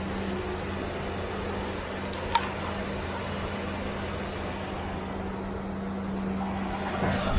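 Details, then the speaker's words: C3 Corvette with Chevy 350 V8 after replacing the fan clutch, whose old one failed to disengage and made revs hang after lifting when warm: smooth, even idle with steady low hum, settling without hanging high after revving; normal after repair. "Yeah, I don't know if you can hear it, but it's definitely, as soon as I let go of the throttle, it idles back down again. It doesn't do that kind of rev up and sit there and then go back down."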